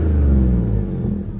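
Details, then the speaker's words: B8 Audi S4 supercharged V6, a little over 300,000, warmed up, stock exhaust: deep smooth rev swelling and settling cleanly, no knocks or rattles; healthy engine. "Let's see if we can give it a whirl. That is just a stock exhaust, by the way."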